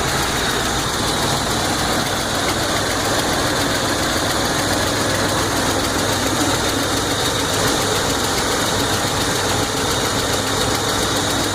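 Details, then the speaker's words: 1981 Buick Electra Limited, after a carburetor change, started after sitting in cool weather: steady idle with a faint quick tick from rocker arms worn by heat from a nearby EGR valve; replacement rocker arms bought. "yeah I don't know if you can hear that but that is the rocker arm that are going bad because of poor positioning of the EGR valve"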